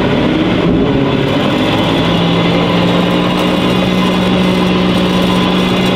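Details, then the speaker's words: BMW M5 imported from Qatar with noise from the rear axle. While the wheels spin, a loud, steady driveline drone with a constant low hum; the tires wobble badly. Drive shaft noise, not the differential. "ja aber das kommt nicht von Differential das kommt eher von der Antriebswelle und die Reifen die Eiern total"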